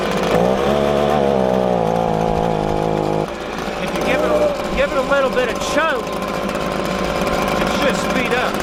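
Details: Echo ES-250 leaf blower (same engine as PB-250), warmed up, idles fine but at full throttle falls on its face at about half power. It screams briefly, then sags and hunts up and down; the finding is a lean high-speed mixture.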